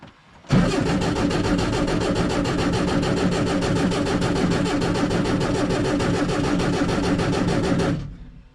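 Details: VW Baja Bug that stopped running, after refilling the tank and fixing the fuel hose and line to the rear: a steady quick starter churn for about seven seconds that never fires while fuel hasn't reached the carburettor yet. Spark is confirmed, and fuel starvation is the cause.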